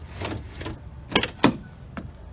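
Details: Ford Explorer power door lock after installing spring from lock cylinder bracket to bottom of rod: two or three crisp, firm, even clunks as lock cycles; actuator working properly after fix.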